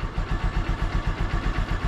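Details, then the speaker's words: Honda Supremo single-cylinder motorcycle idling after a cold choke start, left to warm without throttle: steady, even low thump about six beats a second, settling smoothly as it warms; normal idle. "antayin lang muna natin na uminit yung makina so hahayaan na muna natin mga idol na ganyan"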